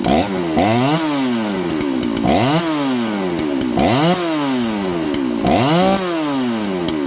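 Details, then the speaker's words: John Deere CS81 chainsaw: crisp two-stroke snarl revving up and dropping back cleanly about every two seconds, no stumble or bog; running healthy. "Wow. How long is it gonna run? Till the piston scores or the gas comes out? Wow, that's not bad."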